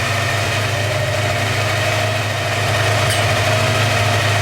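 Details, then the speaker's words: Porsche 928 V8 idling warm and evenly, faint steady high whine over it that persisted with the auxiliary air regulator unplugged; owner suspected a bearing; cause found: loose oil pump pulley rubbing the timing cover. "so the whining noise is definitely still there so I'm going to reattach the auxiliary air regulator"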